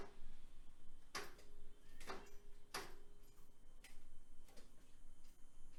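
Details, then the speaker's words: 1966 VW Type 3 Fastback with a new starter and a not fully charged battery: sharp uneven single clicks about once a second, no cranking; owner suspects a weak battery, and a chewed-up flywheel is suspected for the rough starter sound. "I can hear it clicking. Maybe the battery's deader than I thought."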